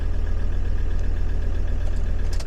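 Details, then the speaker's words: Land Rover with no engine ECU communication, starting after feeding power to the ECU relay output (pin 87): steady, even low idle rumble, no knocks or stumbles; engine ECU confirmed good, idles smoothly. "so this technically this should start up now there's a key there we go so you can see it does start up"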